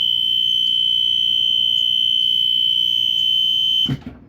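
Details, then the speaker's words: Rare Dicon 400L photoelectric smoke alarm, on test: piercing steady high tone near 3 kHz for about four seconds then abrupt cutoff; owner suspects falsing, alarm acting erratically, cause unclear. "It's just it's doing this like weird thing where it's like, I don't know, like kind of like a thing of what my 769 ACL was doing, where it was like buzzing like a little bit, but this one's like going off pretty loudly."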